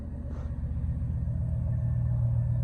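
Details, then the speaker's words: 2002 Chevy Silverado 1500 after fuel pump replacement and priming, previously P0300 misfire code: fires right up into a low, steady, even idle rumble with no misses, knocks or whine; no leaks or codes. "All right, let's try it out. Fired right up nicely."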